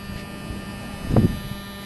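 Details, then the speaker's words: 1993 Mercedes 600SL passenger-side electronic throttle body (slave unit, loom rewired after bare wires shorted against the case causing hot limp mode), ignition on, engine off: low steady healthy actuator hum with a brief handling knock; normal operation. "put on the ignition first thing we hear is the humming sound you can hear it"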